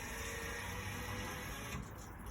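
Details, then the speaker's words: Benimar motorhome waste water drain valve operated by holding a switch: steady electric motor whirr running evenly, cutting out as the valve finishes opening; normal drain valve operation. "hold it down until it stops and that's the waste water drain that i showed you opening up and letting the waste water out"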